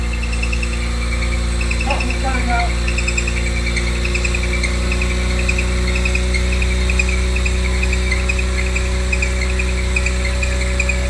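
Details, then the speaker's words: Cold idle of a 1980s Renault 9 after radiator and cooling fan replacement, choke fully open, car sat for weeks so mechanical fuel pump took a while to draw fuel; smooth steady low hum, no knocks or misses, faint chirping; sounds really good. "Obviously mechanical fuel pump takes a while to crank the fuel through. That sounds really good."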